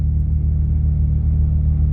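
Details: Honda J-series on E85 right after cold start at 43°F, Hondata coolant temperature compensation tuned to cure long cranking: deep steady idle rumble, even and smooth with no stumbles or misses; idling cleanly.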